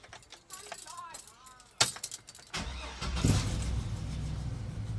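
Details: Cateye truck after the new muffler is installed: the engine catches and settles into a low, soft, even rumble with no rasp, drone or blatting. The exhaust sounds quiet and healthy.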